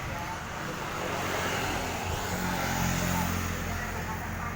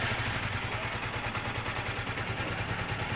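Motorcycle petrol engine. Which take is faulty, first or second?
second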